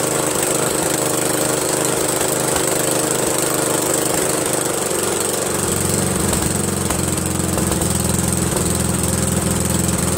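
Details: Briggs & Stratton 13hp flathead single-cylinder on an MTD Cub Cadet lawn tractor, after carburetor replacement; steady even drone, no misses, surging or knocks; smooth healthy run, owner pretty impressed.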